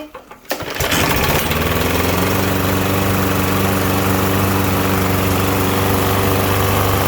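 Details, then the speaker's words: Troy-Bilt TB110 (MTD) push mower that wouldn't start, with oil in the air filter from being tipped; catches after a rough start, then a loud, slightly uneven drone while smoking; suspected flooding from the oily air filter. "so you can see it's smoking doing all kinds of things like that it wouldn't start for him it fired right up for us"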